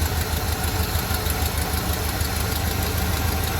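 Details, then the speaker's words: Square-body Chevy C30 Mason dump truck V8 revived after an underhood fire melted the harness and carb, timing not yet set: steady, even idle rumble, regular firing, slight exhaust tick, no knocks or misses; runs healthy. "no complaints on the old girl she sounds good"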